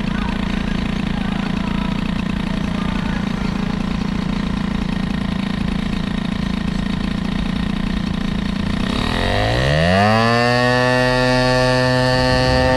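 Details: Moped two-stroke with air-cooled hybrid cylinder and BOOST head, being run in: loud raspy idle, then revs climb with rising whine; very noisy, no clear fault.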